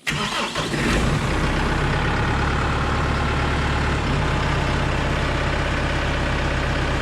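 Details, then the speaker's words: Kubota M6060 tractor diesel, just after fresh oil at its 1500-hour service: cranks, catches and idles with a slight vibration as the hydraulic pump primes and fills the filters while the loader arms are raised. This is normal. "again you can hear a little vibration in there where it's priming the pump filling the filters up raise the left arms up"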